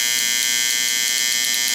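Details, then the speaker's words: Late-1960s/early-1970s Sankyo Seiki mechanical digital rolling clock. The alarm buzzer never shuts itself off. A steady, high, raspy buzz holding level. Normal alarm buzzer that needs a manual reset. "Okay. So it has to be manually reset. That could be slightly annoying for some people."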